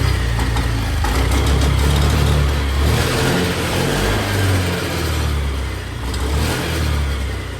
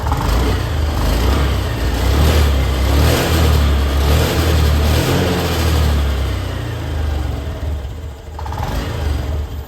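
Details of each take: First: Honda Activa BS6 scooter, won't take revs despite new original petrol filter, no MIL light: engine revs unevenly, exhaust beat stumbling and cutting out under throttle; misfire. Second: Honda Activa BS6 scooter after fitting a spark plug (petrol filter already replaced): revs pick up smoothly and evenly without the previous jerking or stumbling under throttle; weak battery noted.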